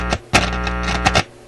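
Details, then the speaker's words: Graetz Polka 1113E German antique tube radio under troubleshooting: plucked guitar notes play back clean and full, no hum, crackle or distortion; audio amplifier working fine. "well, that sounds like the amplifier is working fine."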